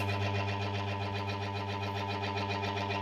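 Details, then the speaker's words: Washing machine motor that got wet, after capacitor replaced: steady low hum on one direction while the other turns slowly; capacitor ruled out, motor winding faulty and must be rewound. "Tetap dengung sebelahnya, yang sebelah muter biasanya, tapi pelan tuh. Jadi udah jelas ini mesinnya teman-teman ya. Mesinnya harus digulung lagi."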